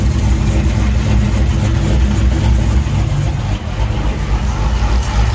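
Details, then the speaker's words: Freshly installed forged 392 HHP V8 with a Whipple 3.0 L supercharger on the stock tune, warming up after coolant fill: a heavy, lumpy idle pulsing about four times a second, smooth and steady with no ticks or knocks. No longer smoking, no leaks found. "Once it starts up, its idles pretty good, guys. And it's not smoking anymore, but you can hear the cam sounds really good."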